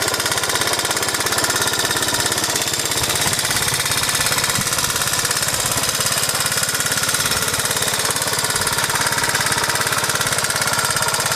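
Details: 1986 Honda Z50J Monkey single-cylinder after rebuild, with the exhaust and carburetor repaired. Quick, steady chatter at a fast idle with no stumbling; the bike now runs good.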